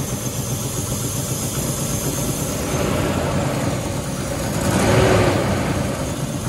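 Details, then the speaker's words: 1997 Land Rover Discovery 1 V8, 5-speed manual, idling in neutral after new spark plug wires: steady, fairly even low pulse with a brief swell, runs a tad healthier with no usual exhaust smoke; exhaust leak remains, intermittent breakup persists. "i mean i have the exhaust leak but other than that it sounds a tad healthier there's no smoke coming out of the exhaust like it usually does"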